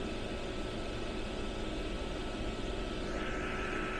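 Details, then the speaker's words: Modspioneers 24V DC 11000 BTU RV rooftop air conditioner, compressor running at about 245-257 W after setpoint lowered: low steady hum with thin even whine over fan air noise, no knocks or rattles; quiet, low power draw, normal. "Yeah, so pretty quiet, pretty low power draw, you know, while you would be sleeping."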